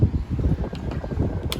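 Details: Honda City CNG running: rough, uneven, stumbling beat with odd crackles. Cylinder 1 ignition coil is leaking spark at its base, making the engine cut out.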